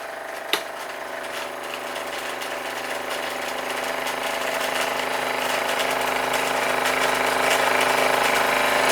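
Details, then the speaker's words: Model steam engine driving Microcosm FD4 dynamo lighting an LED bulb, voltage dropped to about 8.5 V: rapid even mechanical beat climbs in speed and loudness when load is switched off; engine labouring under generator load. "Interesting, you can see that it's obviously loading the generator because the voltage has dropped down to about 8.5 volts, and this is struggling. You can hear the change in pitch if I turn it off."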